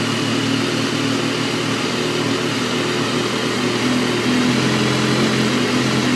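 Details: Stock 2012 S1000RR motorcycle idling with an uneven, slightly lumpy beat and wavering tone instead of a steady hum; rough idle, cause not evident.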